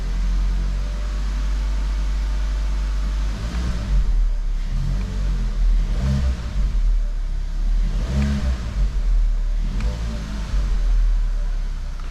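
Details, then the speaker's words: VW Golf Mk5 with 50,000 km, after zip-tying fuel hoses that rattled inside the right-side frame following a fuel filter change: clean engine note through several revs with no rattle or buzz. "Well, no more noise from the engine. Well, no more rattling noises."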